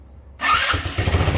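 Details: Yerf-Dog go-kart GY6 150cc engine after restoring spark (bad regulator/rectifier, hacked fused link, test CDI), fuel poured into carb throat: engine catches with short rough pops then dies; gummed-up carburettor starving fuel.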